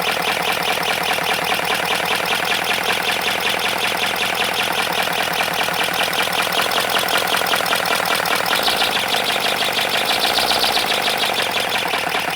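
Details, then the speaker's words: 3D-printed ASA plastic 412cc V8 engine, before oil added to intake: fast even clattery rattle with harsh dry buzz; owner suspects it needs lubrication, earlier PLA version seized from melted crank bearings. "All right, it definitely sounds like something needs to be lubricated, maybe. I am not sure."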